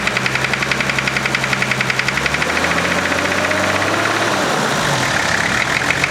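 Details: 1991 Nissan Patrol GQ TD42 naturally aspirated diesel, previous owner says oil was dropped then topped up: sharp regular knock three to four per second at idle, blurring as revs rise; suspected rod knock.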